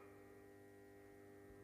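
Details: 400 W high-pressure sodium light: constant buzzing hum at fixed pitch with no flutter, rattle or rising note; ballast and lamp running normally, bulb hot after about a minute.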